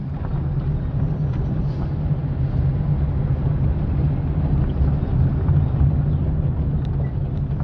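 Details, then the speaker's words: Fiat Palio driven over bumps and dirt road after replacing the stabilizer bar link: only low road rumble, no clunks or knocks from the front suspension; noise resolved after repair. "é tão só e agora nada de barulho nada de barulho em volta"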